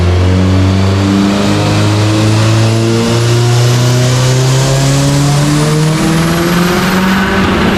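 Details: Subaru Forester STI with stock longblock, Precision 6870 rotated turbo and new coil packs, warm dyno pull: hard revving pull stumbles and steps instead of climbing cleanly while AFR goes lean; ignition breakup under load from a failing crank sensor.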